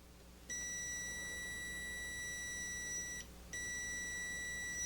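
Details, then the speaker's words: Gorf arcade ROM/RAM board: continuity tester probing pin 1 and pin 23 of a ROM socket gives clear steady beeps, showing a short between pins that should be isolated. "If I put the probe on pin 1 of any one of the ROM sockets and put it on pin 23, you can hear the short."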